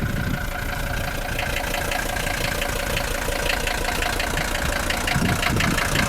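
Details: 1981 Mercedes-Benz 300D W123 with a 3.0L five-cylinder non-turbo diesel, said to fire right up and run well. Steady, even diesel clatter at idle with a regular rattly beat and no misses or knocks: healthy idle.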